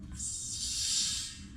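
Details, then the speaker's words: Minneapolis Moline G1050 tractor, LP gas valves and fuel gauge replaced, leak test before refitting hood; sharp steady hiss rising as valve opens, fading as it closes; LP gas leaking at the valve fitting. "Of course it's leaking."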